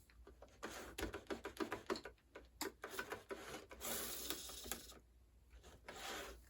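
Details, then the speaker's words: Bachmann GE chassis system HO scale locomotive, barely moving in reverse: faint irregular ticking and rattling in short bursts, weak drive; owner suspects a cracked gear. "It definitely sounds like there's a cracked gear, but that locomotive also seems really weak."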